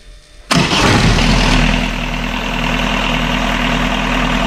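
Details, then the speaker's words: Catamaran diesel genset after fixing two swapped controller wires that drove the throttle wide open and shut it down: starter catches, settles into a steady even idle with no misses, knocks or hunting; now running normally. "So once we found that, we then reset all the controller again, got the wires around the right way and fired it up, and it's now working fine."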